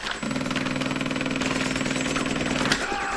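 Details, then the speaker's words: Beautural hand steamer preheated, trigger pulled: loud rapid even buzzing chatter like a machine gun, about three hits a second, heating element warm but no steam; pump suspected, possibly running dry unprimed. "It's not steaming. I can feel the heating element. It's getting warm. So, that's good. I think something's up with this pump, but I can't be certain on that."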